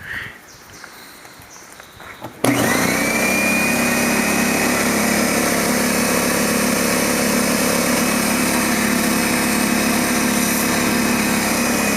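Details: DeWalt D55146 air compressor: motor kicks on into fast even rattling drone with high whine; faulty check valve lets air back, so it recycles from about 200 PSI to 140-160 PSI; check valve needs replacing.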